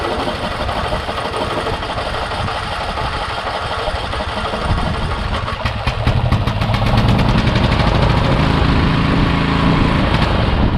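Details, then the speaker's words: Murray Select riding mower, 13.5 hp Briggs & Stratton single in neutral, smoky: uneven lumpy idle that picks up and stays ragged, possibly severe surging; crankcase pretty overfull on oil from fuel flooding; carb cleaning planned first. "It could also be the fact that it's pretty over full on oil."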